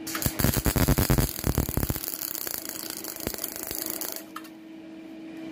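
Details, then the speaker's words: MIG spot welding on car bodywork, machine set beforehand, with food-grade CO2 shielding gas as used on beer taps: a crisp, even crackle and steady sizzle like bacon frying; correct normal welding. "amerikaner sagen hört sich an wie ein becken der gerade gebraten wird genauso sieht das auch klingen"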